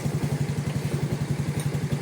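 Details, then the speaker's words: Small single-cylinder motorcycle (Yamaha, "53 stage 2" engine build, stock sprockets) checked after a crash to see if it still runs. Steady, even putter of about eight pulses a second with no misses. Engine starts fine and is still normally quiet; normal idle. "เช็คเครื่องหน่อยเครื่องยังติดมั้ยโอเคนะก็เครื่องก็ติดดีเครื่องยังเงียบปกติ"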